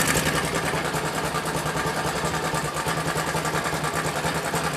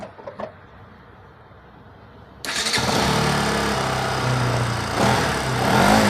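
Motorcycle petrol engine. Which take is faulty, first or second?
first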